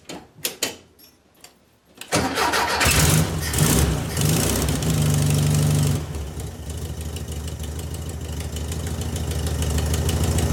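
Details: VW Beetle with new Pertronix distributor and coil: slow cranking, then catches and runs unevenly with lumpy wavering beat before speed sags and it dies; timing closer to right, owner suspects carburetor way off.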